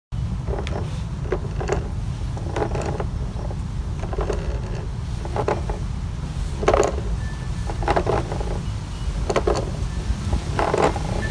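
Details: Kingsong 16X electric unicycle: rough grinding bursts from the hub motor repeat about once a second at low speed, over heavy wind rumble. This is new; it hasn't always been like this, and the cause is unknown.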